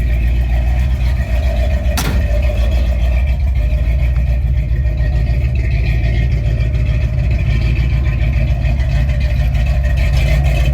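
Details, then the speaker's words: 1968 Ford F100 360 V8 with a rebuilt Motorcraft 2150 carb replacing a knockoff that caused surging idle, Flowmaster exhausts: a deep, even idle with no hunting, though an exhaust manifold leak is audible. Normal idle. "But other than that manifold or exhaust manifold leak now, it's idling on its own."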